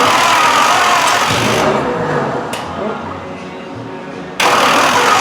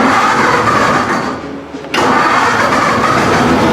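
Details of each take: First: Chopped 1950 Ford Shoebox sat 20+ years, first start on a 12 V battery with only the carb bowl filled: cranking catches into ragged, loud sputtering bursts that die off, then fire again. Fuel starvation; electric pump planned. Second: Chopped 1950 Ford Shoebox, started via dash button with an electric fuel pump hooked up: brief crank, then the engine catches at once and settles into a steady, even run with no misses or knocks. Normal engine start.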